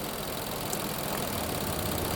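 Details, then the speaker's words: 2020 Infiniti QX60 V6, 95,882 miles, with oil consumption and misfire codes P0300/P0304: with a non-suspect cylinder deactivated the idle turns uneven and lumpy, so that cylinder was contributing. Disabling suspect cylinder 4 changed nothing. "It changes. You can hear how it changed idle."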